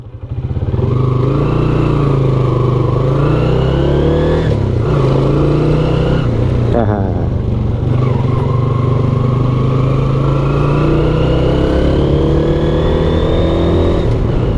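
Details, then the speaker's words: Suzuki Shogun SP 125 FD XRM clutch model while riding: steady engine drone with a "nguk-nguk" whine rising with speed; rider believes primary or secondary gear noise, known on this model and returning after part replacement. "first impression-nya langsung kedengaran bunyi nguknguk gitu ya Nuk nuk gu gituan Ya itu bunyi gigi primer ya kalau gak salah primer atau sekunder gitu"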